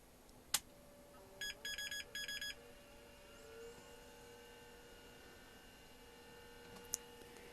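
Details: 1986 GRiDCase 1520 rugged 286 laptop, powered by a ThinkPad supply into the 16V jack, smelling burnt: short group of high power-up beeps, a 1-3-3 code the service manual attributes to bad RAM.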